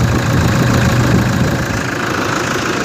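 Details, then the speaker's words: Toyota Hilux D4D diesel after alternator belt repair, belt now clears the pulley: steady diesel clatter at idle with no squeal or chirp from the belt drive; belt screeching gone, engine sounds normal. "Olha o barulho da caminhonete agora. Olha aí. Glória a Deus! Aleluia! Deus é fiel! Ô glória! Acabou a gritaeira da correia."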